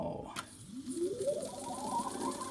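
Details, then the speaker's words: 1960s Brenell Mark 5 Series 2 valve reel-to-reel tape recorder, just reassembled and warmed up after years unused. Rewinding tape: smooth whir climbing steadily in pitch as reels spin up fast, no scraping or drag; fast wind healthy. "let me rewind this tape actually that noise is so old school isn't it look at the speed of that dancing"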